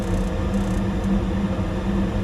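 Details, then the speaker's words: Rheem furnace after a stuck high pressure switch was freed by exercising it; spark igniter gives faint ticks, then a steady low hum as burners light blue; normal ignition. "guess the igniter's working. What? I guess the spark igniter, not a hot surface ignition, so you won't see a red glow."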